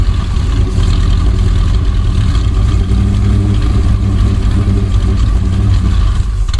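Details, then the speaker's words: 1965 Dodge A100 van, sat for years, now on fresh fuel after carburetor bowl filled: even, deep, steady idle with no misfire stumble or mechanical noise; normal idle. "Think she's running off of that new fuel. Sounds pretty good."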